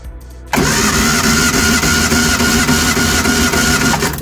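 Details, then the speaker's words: Reliant Supervan engine compression test, spark plugs out, cranking on the starter: even, steady cranking at about three and a half beats a second with no lazy strokes; this cylinder reads 125–130 psi, normal compression. "again, between 125 and 130, that one's fine."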